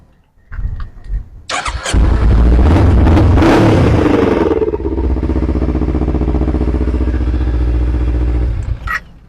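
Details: Z300 with a no-start problem: brief strong crank, catches at once and settles into a smooth, even fast idle. It starts cleanly.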